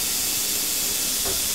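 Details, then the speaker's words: Low-voltage plasma cutter with the torch switch plug pulled and its two prongs shorted by a screwdriver: strong, even air hiss holds steady without cutting out. Fault narrowed to the switch or its wiring; normal air flow. "that's going there off on so let's fold it it's on all the time through that guy can you hear that not cutting out so what that tells us guys is there's either a break between this plug and the switch here or it's the switch itself"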